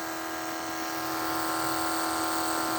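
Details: 1980 Trans Am nitrous kit fuel system: electric fuel pump flowing through the jet while setting nitrous fuel pressure. Even, steady hum at a constant pitch with no surging or rattle; pressure stays right on 9 psi with a 78 jet, no leaks; healthy.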